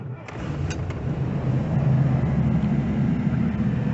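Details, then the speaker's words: 1990 Chinook 18+ camper van engine, cold start after sitting a couple of weeks without being warmed up. Cranks briefly, catches at once and settles into a steady, deep, even idle; starts pretty much first time every time. "pretty much first time every time"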